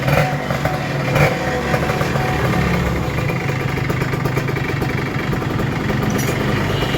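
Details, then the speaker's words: Kawasaki Ninja RR 150 two-stroke after service and carburettor setting, previously stuttering, weak pull and sticking throttle: crisp, steady idle with light even popping, no stumbling or surging; normal two-stroke idle. "Oke Guys mantap jadi settingannya udah selesai dan ini yang saya rasakan perbedaannya jauh banget jadi powernya udah enak dan suaranya juga nyaman ya"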